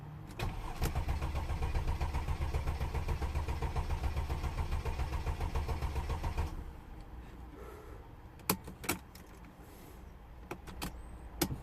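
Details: Mercedes OM642 V6 CDI diesel started after its oil cooler seals were replaced, with fluids topped up and the ignition cycled to prime: a steady, even low diesel rumble for about six seconds, then shutdown clicks. It runs smooth and healthy.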